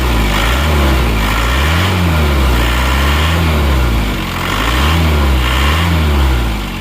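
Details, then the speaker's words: Isuzu Panther 2.5 diesel after shaft breakage and timing gear problems were repaired: deep, steady, even idle, much smoother than before, with the timing gear no longer sounding rough. Normal idle. "Nah jadi kalau dibandingkan dengan suaranya saat ini menurut saya ini jauh lebih halus ya suaranya kan"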